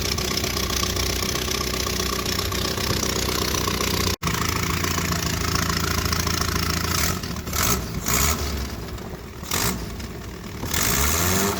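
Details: 1978 Triumph Spitfire 1500, hard start after two weeks, jump-started; after idling a while a rev brought a pop, then loud coarse tractor-like chugging that swells with revs; drives normally; owner suspects exhaust leak.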